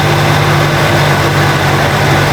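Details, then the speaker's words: 1967 Jeep Jeepster Commando being revived cheaply, heard from inside the cab; smooth even low hum with no stumbles or ticks; idling cleanly with no vibration, "crazy smooth." "It's so smooth in here. You can hardly tell it's running. Like no vibrations. Dude. Crazy smooth."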